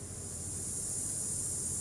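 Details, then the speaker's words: Car audio preamp with main volume off and treble at maximum: constant high airy hiss like rain; built-in preamp circuit noise, repairable. "ถ้าอย่างเงี้ยเขาเรียกปีซ่าฮะวิธีเช็คๆง่ายๆนะฮะปิดวอลลุ่มหลักก่อนนะฮะปิดวอลลุ่มหลักก่อนแล้วก็เร่งแหลมฮะ"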